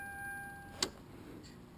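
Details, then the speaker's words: 2007 Kia Optima/Hyundai Sonata 2.4L four-cylinder that won't start, start relay swapped with radiator fan relay: one sharp click inside on the start attempt, then no cranking; solenoid judged good, starter not turning the engine. Cause not confirmed. "more yeah I can feel the click inside all right so the solenoid is good"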